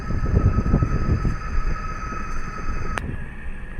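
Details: Lincoln Aviator, microphone clamped at the front hubs while driving and turning: deep uneven rumbling growl with faint road hiss from a worn, loud right front wheel bearing, before replacement.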